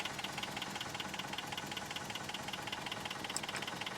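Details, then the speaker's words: 1993 Toyota pickup sat 10+ years, after refueling and charging the battery: it runs rough with a sharp regular tick near 160 a minute over an uneven idle, with a blown head gasket found. "oh it runs it's running rough but it runs"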